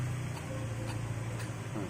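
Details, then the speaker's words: Toyota Avanza water pump removed and spun by hand, impeller fine, suspected cause of rough noise at idle with no coolant leak: faint quick ticking and gritty rolling with slight play; worn rough water pump bearing, replaced with Aisin pump. "Cuman emang terdengar suara kasar. Coba coba dengarkan deh. Bisa jadi ini penyumbang suara yang saat idil itu ter gitu ya."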